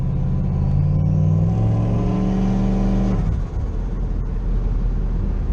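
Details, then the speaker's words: Turbo square-body Chevy C10 with cheap new exhaust and wastegate dump under the front end: deep smooth exhaust rumble rising cleanly on a throttle rev, settling to a low even idle; nothing raspy, much quieter than before. "Oh yeah this thing is way quieter"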